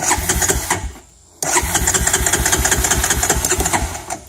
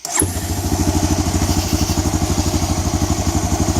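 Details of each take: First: 2004 Honda Recon 250 ES with Keihin carburetor, cold start: the single cylinder catches and chugs, dies within a second, restarts and fades out again; hard to start when cold, runs fine once warm. A carb rebuild is planned, cause not confirmed. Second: 2004 Honda Recon 250 ES (TRX250TE) ATV after a Keihin carburetor rebuild and rerouting the throttle cable so it returns to idle: starts at once and settles into a quick, even, steady idle with no stumbling or hunting, running like a top.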